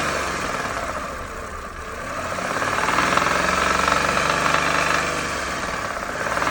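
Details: Engine revved from idle: an unexplained droning hum comes up, swells as the revs rise and fades back as they drop; source unclear.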